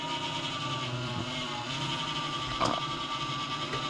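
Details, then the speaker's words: PC case fan in cold weather: thin, steady whirring with a dry rattle over soft hiss, as the cold thickened bearing oil makes noise for the first 3–5 minutes; oiling the centre shaft quiets it. Case fan bearing noise. "지금 또 소리가 안 나는데 이게 날씨가 춥다 보니까이 안에 있는 기름이 굳어서 처음에 한 3분에서 5분 정도 보통 소음이 나다가 제가 이제 어느 정도 이제 기름이 녹거나 하면은 이렇게 또 조용하게 소리가 보통 안 나는 증상이 나타날 거예요"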